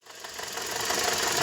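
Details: Toyota Corolla E150, front of engine at idle: fast tinny rattle steady with revs; alternator overrunning clutch broken with heavy play, water pump checked fine after loosening alternator belt.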